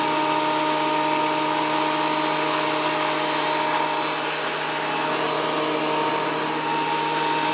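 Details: WEN PL1326 15-amp 13-inch spiral benchtop thickness planer after repair of damage from misuse, feeding a small board: steady high motor whine with even cutter noise, no bogging or chatter; cutting normally again.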